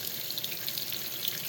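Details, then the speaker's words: Washing machine that only hummed, retest after no-parts fix (possibly digital error), cold water large load: strong steady hiss of water filling, good pressure; normal water fill. "well it paus when I open the lid we got pretty good pressure now awesome I think we got a no parts fix here"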